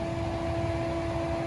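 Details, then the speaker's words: Wuling Air EV electric car with a timer-modified AC, AC compressor and condenser fan restarting after a 45-second off period: steady loud whirring hum with two fixed tones, drawing about 8 amps; normal but noisy operation. "Nah, suaranya berisik lagi ya. Teman-teman bisa denger ya. Nah, suara AC-nya berisik lagi dan ampernya kita lihat."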